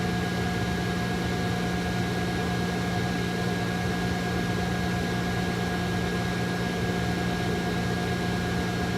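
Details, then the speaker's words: XWJNE 2000W pure sine wave inverter, 12V DC to 120V AC, showing 12.3 V with no faults on a near-100-degree day; its cooling fan kicks in with a steady even whir and hum, normal. "There's no faults, so it can keep on going. The fan just kicked in. You hear the fan noise."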